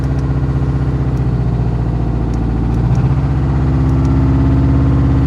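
Deep, regular knocking at roughly four per second that grows as the revs come up; classic bottom-end rod knock.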